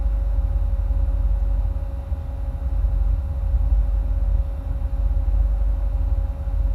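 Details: 2008 Corvette C6, automatic, tuned, with cold air intake, long tube headers and no cats, plugs recently changed: deep lumpy V8 idle swelling and sagging every second or two; rough idle with rpm hunting, owner notes it starts as the fans kick on, cause unknown.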